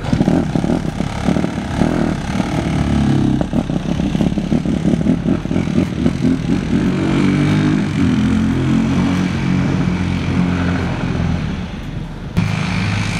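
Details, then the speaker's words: Honda CRF150R four-stroke after a head rebuild for a broken valve: uneven, lumpy running with loose, clattery knocks and a wavering note. It runs poorly; the owners suspect the auto decompression is staying open, need to clean the carb, and think it may need break-in. "So it definitely runs. Not well, but it still runs."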